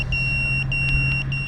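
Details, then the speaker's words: Geelang Anger 75x whoop drone in flight, pack dropping to about 13 volts: rapid high-pitched low-battery warning beeps over the steady motor whine. "now it's dropping to 13 volts so they have their battery voltage that warning so really low I'm gonna bring it in now"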